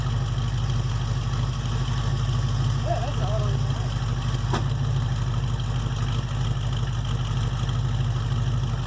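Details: 1968 Chevelle with 307 small-block V8 after power upgrades (over 100 hp boost from parts and tuning), transmission change and front-of-engine/power steering pump issue: deep, steady V8 burble, even beat, no knocks or ticks; sounds pretty good, normal idle.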